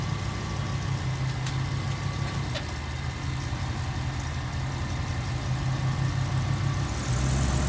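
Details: Land Rover Range Rover Classic LSE soft dash V8, after nine years sitting, idling before a test drive: steady, even low burble with no knocks or misses, idling cleanly.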